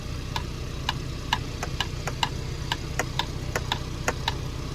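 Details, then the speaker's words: 2024 Ford Bronco, only days old, driving: sharp, light ticking knocks about three a second over road rumble, like a ping pong ball banging front to back inside the driver door panel; not the window. "it actually sounds like something is banging from the front to the back to the front to the back on the inside of the door panel"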